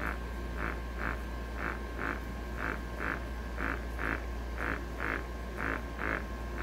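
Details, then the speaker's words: MRU handheld gas analyzer leak-proof test failure: sharp alarm beeps about once a second over a low, steady pump hum, as the pump cannot hold vacuum, unlike a recently serviced good analyzer. "okay so we're leaking that means we"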